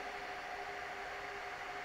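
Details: Dell PowerEdge R610 server at no load, about 74 dB at the front: loud, steady rushing fan whoosh with fixed tones; failing ambient temperature sensor on the front I/O board reads 40°C, driving fans to excessive speed.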